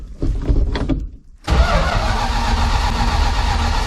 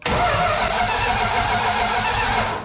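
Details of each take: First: 1972 Plymouth Fury III after ignition system work for a no-spark no-start, plugs possibly fouled from cranking: long steady cranking drone, then catches with uneven bursts settling into a running rumble; engine now starts and runs. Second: 1972 Plymouth Fury III during ignition system testing: steady, even starter cranking but the engine never fires; test light gets bright at the coil during cranking; cause unconfirmed.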